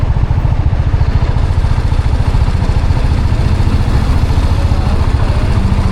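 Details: TVS Apache RR310 at about 14,000 km, hot at 109° with the fan running, idling after a fall over a rock: steady low thump with a light even tick on top; mechanic suspects upper end camshafts, owner suspects chain tensioner or valve clearance.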